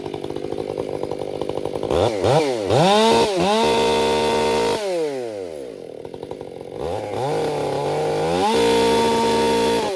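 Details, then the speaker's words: Krafterized Husqvarna 562XP Mark II chainsaw, warmed up, bucking oak: rises and sags with an uneven burble at half throttle rather than a clean scream; four-stroking at part throttle. "That was a little four stroke because I was half throttle. A lot of it depends on how you're running your saw."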